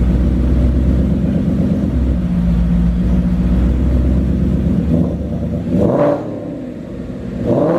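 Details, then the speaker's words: S2000 after hangers and a resonator refitted: a deep, even idle with quick throttle blips, without the earlier rattly sound. A clean, healthy exhaust tone. "that's so much better it really is it doesn't have that Radley kind of flattery"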